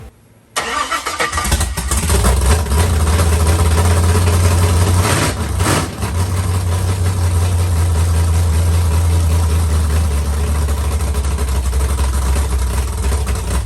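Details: Carbureted LS7 V8 with Stage 3 cam and heads in 1971 Camaro, first fire with no coolant circulating: cranks, catches within a second, settles into deep, loud, choppy loping idle from cam; healthy.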